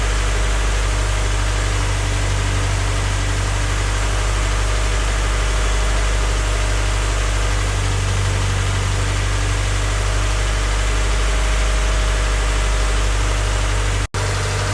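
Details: Freshly rebuilt Honda Civic D16Y8 engine at first start-up, idling before any throttle: smooth, even low idle, steady hum, no knocks, ticks or misses. Light smoke is residual oil burning off the exhaust manifold; normal healthy idle.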